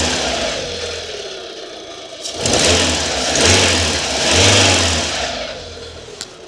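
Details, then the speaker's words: Base 2009 Fiat 500 1.25 petrol four-cylinder at 230,000 miles, barely started in nine months (one 10-minute run five months ago). Idles evenly, revs cleanly a couple of times and drops back without stumbling; sounds healthy. "What a unit. I'm amazed at how good it still sounds."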